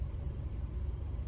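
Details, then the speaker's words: 2013 Honda Accord at 131,367 miles, idling after one tank with Liqui Moly Pro-Line Gasoline System Cleaner. Idle is now a steady 800 rpm with no shaking, versus a rough idle under 800 before. Low even rumble; normal idle. "It seems to be doing something good here because the RPM is now at 800 and it's stabilized, it's not shaking anymore."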